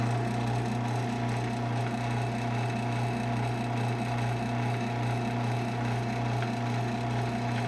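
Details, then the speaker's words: Genie ProMax PMX500IC/B half-horsepower garage door opener with D-shaft drive, no rail, capacitor replaced: steady motor hum with a loose uneven rattle a couple of times a second; source unknown, owner suspects something needs tightening. "yeah i'm not sure what's making all that noise if it's just something that i have to tighten or what"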